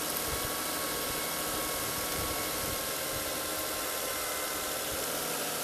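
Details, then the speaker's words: Toyota Camry/Solara 3MZ-FE V6 at idle: thin, steady high whine over the hiss from a failing alternator; the whine stops when the alternator plug is disconnected, and arcing sparks are seen. "We're going to start up this car and I'm going to show you this whining noise that it makes and how to troubleshoot it to see if that's actually the alternator that is failing."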